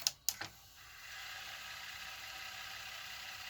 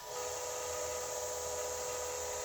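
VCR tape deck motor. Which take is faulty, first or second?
second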